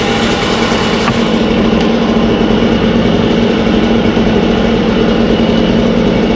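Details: Echo 403T two-stroke with a new Zama carburetor being adjusted: slow burbling idle just above stalling as the low-idle screw is turned down; idle set too low, then a quarter turn up is advised.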